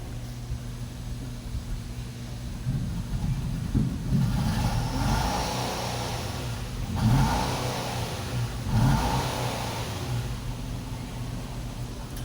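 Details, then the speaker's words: Nissan car, owner's fix for no-start put down to the timing actuator jumping timing: the engine catches and runs, with a few clean throttle blips rising and falling smoothly over a low steady idle; normal start and rev. "that's the problem our startup fine that's it"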